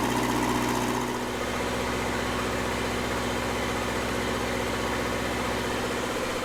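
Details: Red-D-Arc D300K welder generator, Kubota V1902 four-cylinder diesel, restored, after new 220 outlet wiring, left running a while: steady, even clatter at constant speed with no misses, knocks or surges; normal healthy running.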